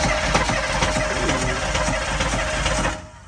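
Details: CUCV Chevy squarebody diesel brought back after sitting, at full throttle: heavy, uneven hammering knock through rough running before it cuts off and won't turn over; thrown rod, hole in oil pan.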